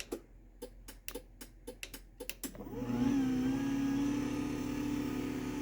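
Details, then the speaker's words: 10-year-old garage door opener, sprocket cover possibly loose: light clicks then soft, steady motor hum; runs smoothly and much quieter than a loud brand-new DC belt-drive opener. "And I think this sprocket cover is a little loose, but this thing is significantly quieter than that brand new one is."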